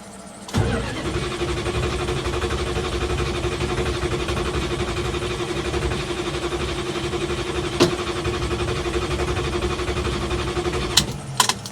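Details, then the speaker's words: 1973 Plymouth Scamp flood car from a Copart auction, started while flushing the transmission fluid: the engine catches after a rough start and runs ragged and uneven. It is hard starting, with no cause given. "all right she's running she just wasn't happy about it"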